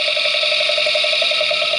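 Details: 2006 Mazda 3 engine heard through Steelman listening tool, microphones on top of engine and at oil drain plug: quick even ticking about eight per second over hiss, seeming to come from the bottom microphone; lower-engine knock suspected, not confirmed.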